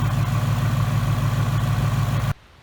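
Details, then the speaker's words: 2018 Mustang GT 5.0 V8, replacement plasma-bore engine with forged pistons, about 300 miles on break-in oil, oil near operating temperature: smooth, even low rumble idle with no knocks or misses, normal. "Hey not totally up to temperature but I would say that the oil is probably up the temperature right now but I will say she sounds good"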